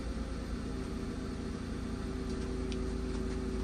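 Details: 2014 Ram ProMaster 2500 idling after fuel pump replacement: low, even rumble holding steady with no surging, ticking or whine; smooth, healthy idle.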